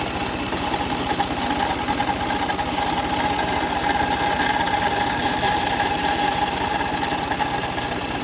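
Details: Car engine at idle, no leaks seen on the cover; uneven light knocking over a faint constant tone, about two to three a second; worn water pump bearing, timing belt kit and pulleys being checked.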